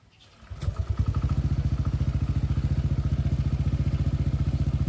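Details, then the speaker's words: Honda PCX160, 2021, over 70,000 km, spark plug cover open; on start it settles into a steady, quick ticking that follows the firing pulses. Plug lead visibly vibrating, traced to a loose spark plug, not the pump gear or cam chain tensioner. "เห็นที่สายหัวเทียนมั้ยสั่นกีกๆๆๆเลยนะครับมันดังที่ตัวนี้นะครับตัวหัวเทียนตัวสายหัวเทียน"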